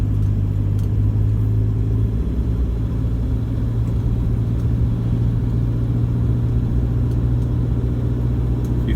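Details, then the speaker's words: 2014 Toyota Hilux 1KD-FTV diesel, 111k, after injector replacement, shortly after a cold start, held at 1500 rpm at 50 km/h: steady low drone with faint even light rattle; normal combustion noise, not loose tappets. "you can hear a bit of a rattle some people would say oh it's a bit like a tap it noise type thing like the tappets are loose well no they're not the tablets aren't loose and that is the normal combustion noise for these vehicles"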